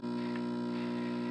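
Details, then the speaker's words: Antique Emerson P1907 tube record player, amplifier warmed up, turntable not reaching speed: only steady 60 Hz mains hum with buzzy overtones from the speaker, no audio output; cause not yet diagnosed. "you can hear that the tube amplifier has warmed up as you can hear from the sound but sadly it's just 60 HZ hum from the"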